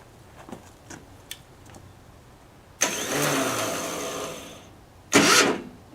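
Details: 10hp LaunTop Yanmar-clone diesel, cold start at about -4C. Faint clicks, then two short rough cranking bursts that don't catch. A poor starter ground: the owner had painted over the ground stud and most surfaces are painted.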